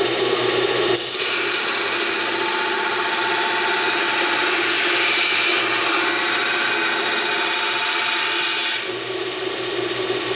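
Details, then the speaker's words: BUCKTOOL 1x8 belt sander on high speed, grinding annealed mild steel with moderate pressure; steady motor hum under harsh even belt hiss, holding speed with slight drag, normal grinding under load. "quick so I was actually pushing not super hard but hard enough to do that and a little bit of motor drag but nothing crazy so yeah that's cutting it down pretty well"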